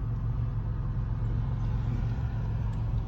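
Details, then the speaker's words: 2002 Nissan Altima that had been running rough, right after a basic tune-up: steady, even, low four-cylinder idle rumble with no misses or stumbles. Normal idle. "oh wow perfect no hesitation none nothing perfectly smooth perfectly smooth man i love the simple things that's perfect"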